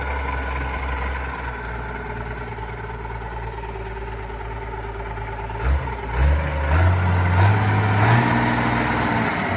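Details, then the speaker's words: Allis Chalmers 190XT diesel tractor revived with a new belt, leaking hydraulic oil: diesel idle chugging with a thin steady whine that rises with revs. The owner suspects the alternator; not confirmed. "And then that annoying sound you guys keep hearing, I'm pretty sure is the alternator,"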